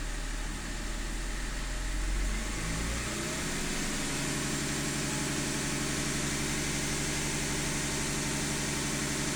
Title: rough idle e39